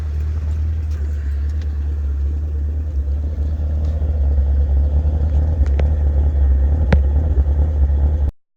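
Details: 2015 Chevrolet Camaro 2SS, 6.2L LS3 V8, manual: deep, slightly uneven loping idle rumble that is normal for this engine, not rough or a misfire; reportedly tuned by GM for a classic muscle-car feel.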